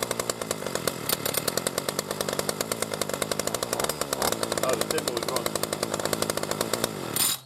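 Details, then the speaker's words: B&Q 25cc two-stroke petrol strimmer, new, just started after priming: rapid even buzz holding steady revs, no misses, then cut off; running smoother, clean. "There we go. You can hear it's a bit smoother on the running."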